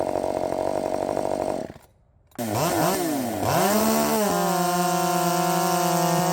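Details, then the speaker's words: Redmax 5000 chainsaw with 16-in bar, .325 steel RS chain, 8-pin sprocket, after wide-open exhaust port muffler mod: screaming two-stroke tone drops briefly, then revs up and holds steady high pitch; crisp, strong, healthy, feels blazing fast. "uh I'm not 100% sure of course I I mean I've been bitten by this before but damn it this thing feels fast now I mean blazing fast uh yes I think we did it I think I think we did it that thing is just hauling ass"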